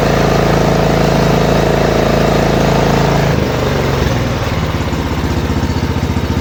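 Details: Lawn mower single-cylinder engine after repair of jumping idle RPM, reassembled with filter back on: smooth even idle without surging, settles lower and stays steady; running normally.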